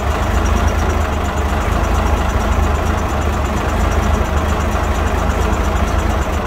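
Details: 1965 Mack B Model fire truck Thermodyne diesel idling, known to have a lot of blow-by; deep heavy diesel clatter settling into a steady rumbling idle without stumbles: runs well despite blow-by.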